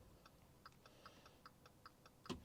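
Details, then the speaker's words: 2019 Volkswagen up! crash rebuild, jacked up in neutral, indicator on with rear tail lights not fitted: quick even relay ticks about five a second; hyperflash from missing rear indicator lamps. "If you can hear the mic, you'll hear the indicators going on very fast. It's because obviously the rear tail lights are not fitted to the car"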